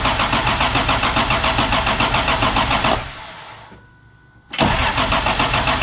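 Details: Toyota MK3 Supra 7M just after the Crispics igniter ground mod: steady, even cranking at about three to four turns a second, a pause, then cranking again, never firing; crank no-start, cause suspected, not confirmed.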